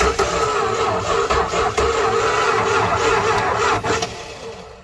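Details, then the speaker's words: 1968 Dodge Charger engine stored 40 years in a barn, cranking with fluid in the intake: uneven chugs roughly three a second with stronger coughs as it tries to catch, then winds down; almost fires. "almost hit it oh my God"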